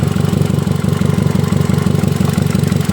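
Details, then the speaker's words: Hyundai i10 petrol engine at idle, owner calls it knocking, exhaust silencer also torn: low lumpy idle stumbling about three times a second; cylinder 1 misfiring, water found in its plug well and spark plug broken, to be replaced. "हम यही टूटा हुआ है इसलिए miss firing कर रहा है अब इसे चेंज कर देंगे ठीक हो जाएगा"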